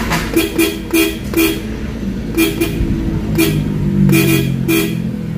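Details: Nissan Cube at a quiet idle, after a clock spring repair fixed its no-horn fault: several short, loud honks, clear with nothing weak or crackly; normal horn operation.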